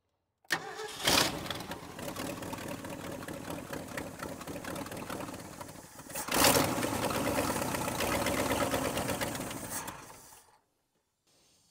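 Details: 1968 Ford F350 with a 360 V8, not started since about 2007–2008 and running on old gas: it catches and runs unevenly, and a throttle blip surges then sags, stumbling when given gas.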